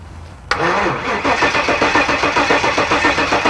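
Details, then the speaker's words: 1974 Jaguar (Draguar) after parking-lot engine swap, first cranking without ignition to prime fuel to carburetors and build oil pressure: sluggish even chug about four beats a second, never fires; cranking slow. "that's cranking slow all right we got fuel"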